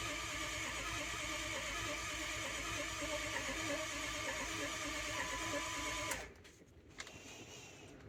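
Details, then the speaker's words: 2005 Ford F250 6.0L diesel with a crank no-start: steady, sluggish cranking at about three beats a second that never speeds up, reaching only about 130 rpm. ICP builds slowly (a leak is suspected). The weak starter was replaced. "um so like I said my ICP does build takes a long time I'm sure I have some sort of leak there um but my RPMs just don't seem like they're getting where they're supposed to be"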